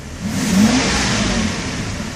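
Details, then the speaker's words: 1992 Mercedes S600 V12, out of limp mode after throttle body repair: slight pedal makes revs climb effortlessly and hold, even and strong with no stumble, surge or misfire; how it should be. "right now with just a slight pressing of the gas pedal RPMs rise effortless so that's how it should be"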